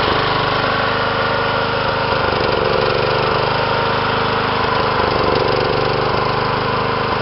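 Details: John Deere small engine idling with an uneven, stumbling beat and occasional misses instead of a smooth hum; rough running, cause unclear.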